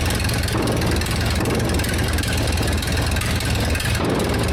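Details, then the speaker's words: 1947 Tournapull/D4-era scraper engine, sat 10+ years, first start with some choke, transmission in neutral: old engine thumps unevenly at low idle, rough irregular firing; owner suspects carburetor needs adjustment and throttle control not working right. "One more time. It's not perfect, but it's running."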